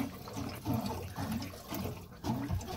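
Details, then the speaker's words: Bus conversion water system first turned on at the valve: gurgling, pulsing rush of water surging about every half second as the plumbing lines fill and pressurize, normal for a freshly opened system. "and that is the sound of water pressurizing in my plumbing system"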